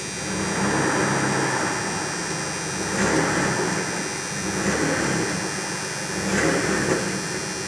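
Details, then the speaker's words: 1994 Dodge Dakota, with new catalytic converter, Flowmaster muffler and exhaust brackets: engine revved several times, pulling cleanly with mild deep exhaust rumble and no knocks; normal revving, still holding up good. "Got a little bit of rumble now to it. So yeah, it's still holding up good."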